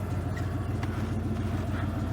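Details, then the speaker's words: Plow truck, 1990 Ford F-150 4x4 V8 at about 5°F, after carb-cleaner flush of suspected bad IAC valve that caused no-idle in cold: starts right up, steady even low rumble, no misses or knocks; normal idle. "Well, I put it back on, fired it back up, started right up like it's supposed to. Now it's running good."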